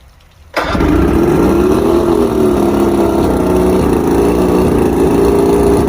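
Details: Outboard just after coil tested good (250 on each, previously about 140) and both switch boxes replaced: starts quickly, then idles with an uneven wandering beat as one cylinder drops out; misfire from fouled number 5 spark plug, which was new.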